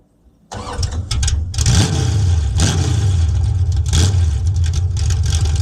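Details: 1971 Plymouth Satellite V8 drag car, newly straight-piped exhaust, camera at the rear of the car: starter catches quickly, then loud, deep, raw unmuffled rumble swelling with throttle blips; normal start and rev.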